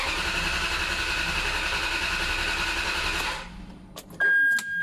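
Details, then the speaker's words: Ferrari 360 Modena after overnight battery charging: starter spins about three seconds without catching, then a dash chime; the immobilizer (anti-start) was still active, not a fault. "oui alors ça c'est normal c'est l'anti-démarrage donc on enlève je me fais avoir comme un bleu"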